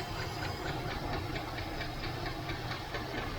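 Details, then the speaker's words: 1978 Chevrolet El Camino SS, sat about 20 years, first run after revival: quick, fairly even light ticking over a rough idle with some smoke; owner suspects a loose rocker or lifter, valve cover not yet removed, otherwise runs good. "yeah it's still flicking over here guys oh smoking a little bit from the uh from the van I'm supposed to take that valve cover off and take a look maybe it's just a loose rocker but seems to run good other than that"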